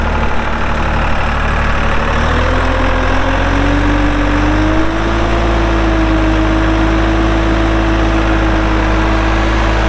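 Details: 2004 AGCO GT45A 4WD tractor, 52 hp diesel, 111 hours: steady, even diesel rumble settling into a smooth idle after a slight rise in revs, no knocks or misses; normal healthy diesel idle.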